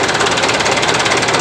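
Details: Mitsubishi Canter PS125 HD diesel truck after injection pump timing was shifted and fuel delivery increased for power: sharp, hard pounding at each firing stroke over a steady idle. Diesel knock from advanced timing, said to smooth out at high rpm.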